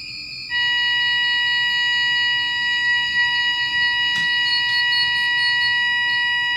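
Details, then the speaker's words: Superyacht fire alarm system triggered from a manual call point after a panel reset, during monthly testing: steady high multi-tone alarm comes on abruptly and holds without dropping out; sounder working normally, system reset afterward. "And there we have it. Fire alarm was set off, reset it, I've reset the system."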